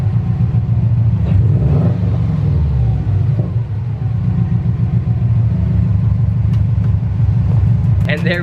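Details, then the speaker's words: Subaru after fixing the exhaust leak at the catalytic converter joint with a new donut gasket: steady low rumble, clean exhaust note with no more flutter; exhaust sealed. "go guys no more little flutter sound from the exhaust league you sounded super good"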